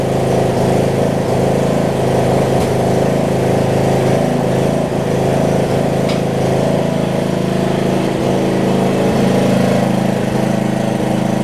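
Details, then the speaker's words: Murray rear-engine riding mower, single-cylinder idling warm, steady with light regular tick about four per second, no misses or knocks; earlier valve grind fix holding up; owner wonders if a changed spark plug causes cold issues. "the good news is my original fix with the um valve grind is doing great i mean this thing more this mower runs pretty good after you get warmed up"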